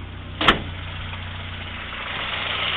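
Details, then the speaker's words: 1956 Morris Minor 950 engine, cold, about 1,000 rpm, choke in, oil pressure 70 psi: steady, even idle hum with no knocks, ticks or rattles, one brief thump early; normal idle, no exhaust smoke. "you can see there are no strange noises nothing wrong with this motor"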